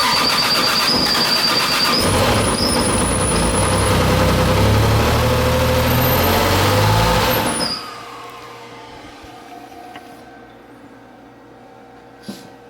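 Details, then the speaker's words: First start of a single-turbo 2JZ Supra build: loud rough running with a steady tap about four times a second before shutdown; a knock heard, owner suspects transmission, plans to bleed the clutch and let it center. "It runs. Wasn't that a knock? I think it's tranny shit. It has to be tranny stuff. I don't know. It just sounds weird."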